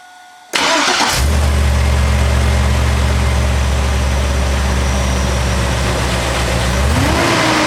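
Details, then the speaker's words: 2002 Chevrolet Silverado 2500HD 6.0 V8 with overheating, seemingly above 2000 rpm, after new ACDelco fan clutch installed; engine fires into steady idle with strong even rush of fan air and brief rev, fan clutch pulling properly. "well she's moving some air now guys I can hear that suer moving some air so hopefully uh that's going to solve my problem"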